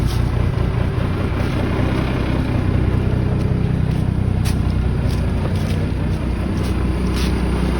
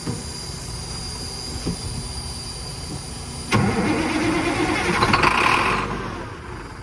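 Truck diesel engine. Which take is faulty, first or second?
second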